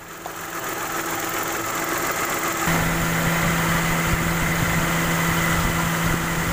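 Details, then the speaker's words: Mitsubishi Mirage, AC on at 18 °C, fan speed 1, driving, after compressor overhaul and refill of oil (compressor had been completely dry, causing crackling): engine even, steady compressor hum, no crackling; normal AC compressor operation. "Setelah kita ke pembongkaran kompresor dan alhamdulillah udah nggak bunyi karena tadi olinya sama sekali nggak ada oli."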